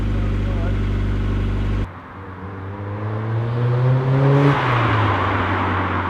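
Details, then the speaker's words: Mk1 Mazda MX-5 (Eunos) with newly fitted Cobalt cat-back single-tip exhaust: even idle burble, revs rise and fall cleanly, no rattles, drone or leak puffs; normal exhaust note. "So as you can see, it's gone dark, but the job is done, and I have to say the exhaust sounds pretty good."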